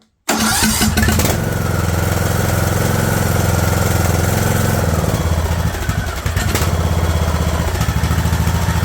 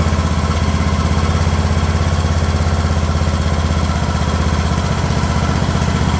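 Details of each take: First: Craftsman LT2000 lawn tractor engine, run without choke after straightening throttle linkage that held idle up: catches then settles into a slow, lumpy, uneven chug near stalling; an earlier try died on its own. Idle set too low. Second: Craftsman LT2000 riding mower engine at a slow idle: even, low thumping around four pulses a second with no stumbles or surges; normal idle.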